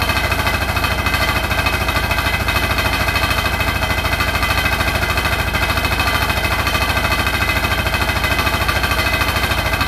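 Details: Hotpoint NSWR843C washing machine on final 1200rpm spin: a hard, very regular rattle of roughly three per second, loud over the motor whine; the cause of the loud rattle is unknown.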